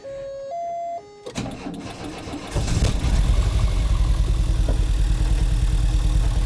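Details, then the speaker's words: 1988 VW Vanagon, first start after a new alternator, fuel lines, fuel pressure regulator and air filter: dash chimes, short crank, then a rough idle with a light regular tick; suspected a dropped washer or a bumped, disconnected spark plug wire, unconfirmed. "what's that ticking noise did you see what that ticking thing was hope that's not that washer I dropped"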